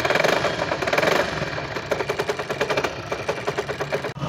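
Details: 1999 Hero Honda Splendor Plus motorcycle idling: rapid metallic clatter from the magneto side rising and falling with the engine; magneto rotor rubbing the stator plate, magnet cover opened for repair.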